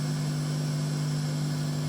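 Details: Sound system amplifier with gain overdriven, power volume at three o'clock and crossover turned up while music is quiet: loud steady hiss over a constant low hum, unchanging; excessive gain and crossover settings cause the noise.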